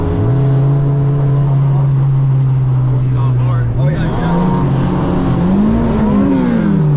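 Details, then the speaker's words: Turbo Honda Civic driving; on a downshift to second the foot clipped the brake pedal instead of rev-matching on the gas; steady drone then revs surge sharply and drop back; over-rev from accidental downshift. "basically went to downshift to Second and my foot clipped the corner of the brake pedal instead of rev matching on the gas it clipped the brake first"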